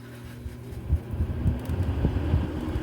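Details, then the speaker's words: GE/Haier window air conditioner being retrofitted to a wall thermostat after an Error 88 control failure, testing the fan-speed wires: a steady low hum with a soft, even rumble, the fan running normally at medium speed. "Sounds like maybe medium."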